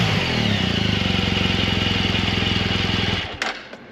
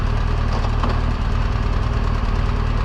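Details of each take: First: BMW R1200 GSA boxer in good condition, idling after startup: brief tick as decompressor changes at start, then even steady idle with a regular light patter from the heads; normal valve train noise. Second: 2016 BMW R1200 GSA while cruising on a trip. A quick tick about four times a second over the engine drone, growing louder over the trip. Valve-train ticking from a worn cam lobe and rocker arm, per a BMW service letter.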